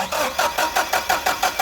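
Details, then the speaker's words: Caterpillar forklift with basic EMCO fuel system, hard start (customer pumps pedal to start), brake cleaner sprayed at throttle body while cranking: steady cranking that never catches; runs fine once started; vacuum leak. "okay then once they're running keeps on running so this one we're dealing with a vacuum leak"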